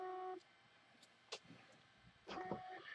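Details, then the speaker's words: Hard drive connected over USB with its power supply plugged in gives short, steady electronic beeps and no spin-up whir. It still won't start after a PCB board swap from a new replacement drive. The owner suspects an internal fault or an incompatible PCB. "and now we're going to connect the drive to USB and the drive still making that same beeping noise"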